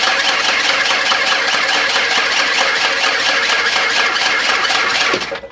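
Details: 1992 Ford Explorer cranked for the first time since sitting unused since about 1998-99: even, rapid cranking at about five beats a second, all cylinders about even compression, slowing at the end as the battery dies.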